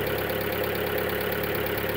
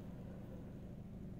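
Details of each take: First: Skoda Octavia 1.4 just started after timing belt failure repair (bent valves replaced, head gasket renewed), engine cold; fast, even light ticking over a steady idle from hydraulic tappets, expected to fade as the engine runs. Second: Skoda Octavia Mk2 1.4 petrol after timing belt failure repair, bent valves and head gasket replaced, warmed up: quiet, steady low hum at idle with the earlier hydraulic tappet noise gone, no ticking; normal idle after repair.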